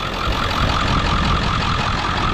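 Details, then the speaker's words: Just-started 7.3 diesel in a used Ford F-550 4x4 with a 6-speed manual, recorded at idle. An even, steady clatter with no misses, knocks or surging; it sounds like a healthy 7.3, and the follow-up blow-by check shows only slight steaming. "it sounds like a healthy 73"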